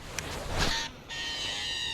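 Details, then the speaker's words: Ozark Trail baitcaster reel (6.3:1 gear ratio) on the cast: a high, thin squeal rises with the spool's spin and fades as it slows; the angler says it's not supposed to happen and may be his fault, cause unconfirmed. "oh boy oh boy it kind of sounds like it wants to be a Shimano Cado DC with the digital chip but but uh yeah that that is not that's not supposed to happen"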